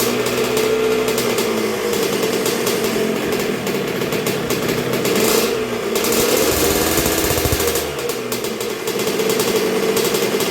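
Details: 1986 Honda CR125R two-stroke, new .060-over Wiseco top end, break-in heat cycle while setting idle on the idle knob, getting pretty warm: crisp, rattly idle ticking evenly with small blips, no knocks or misses; healthy.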